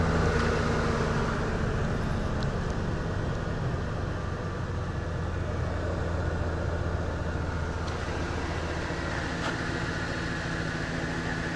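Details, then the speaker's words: Van with a crank-no-start problem, after checking the relays and resetting the inertia switch, with fuel system cleaner added the day before: a steady, even low idle rumble with no knocks, misses or surging, sounding healthy. "you sound good but it started just gonna let it run a little bit"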